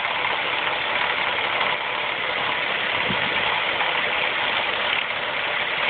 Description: Loud and annoying timing chain racket on my 2004 Mazda 3 2.3L MT 84K.